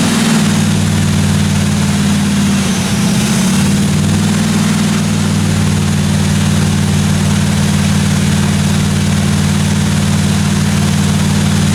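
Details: 1957 Chevy 210 project car, carbureted engine idling during roughly 20-minute cam break-in run: steady, even low rumble with smooth unbroken beat, no ticking, tapping or other weird noises from the valve train; normal idle.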